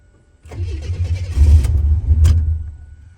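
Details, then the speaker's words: Abandoned 32,000-mile Buick Grand National turbo, cranking to build oil pressure with computer disconnected: slow crank for about two seconds, then uneven fuelled bursts as it tries to fire; cause unknown, owner baffled. "I don't know why this thing's trying to start it's troubling me y'all computer's disconnected why is it trying to start"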